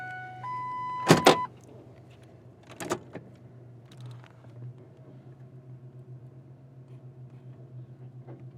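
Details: Ford Ranger 3.0 V6 after oil change with new filter and 4.5–5 quarts oil, battery reconnected: short crank, engine fires and settles into a steady low, even idle with no knocks or ticking; healthy engine.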